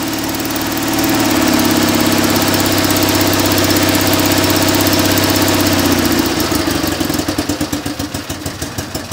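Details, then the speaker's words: Invacar three-wheeler just started on choke, small microphone placed near engine; steady buzzing idle, then faltering uneven sagging beats about three a second; uneven idle, owner suspects too much choke. "getting a bit more engine noise than normal cuz I've just put that little mic there that sounds like a bit too much choke"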